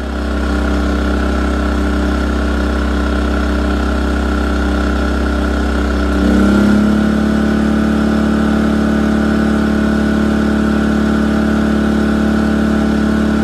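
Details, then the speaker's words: A-iPower inverter generator after carburetor main jet cleaning, space-heater load applied in idle mode (124 V, 60 Hz): holds steady idle, dips briefly as load comes on, then settles to a smooth even hum, handling load normally. "I always like to connect the loads when I'm doing the test in idle mode because if the generator reacts great at lower RPMs, at regular RPMs, it will work even better."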